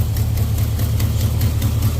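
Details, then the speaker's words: 1989 Dodge D100 318 V8 with Borla exhaust, not fully tuned, idling: deep lumpy rumble with a faint puffing tick about five times a second from a header leak; header bolts need tightening. "So you can hear a little exhaust leak up here still. I'm gonna have to tighten some header bolts up, but"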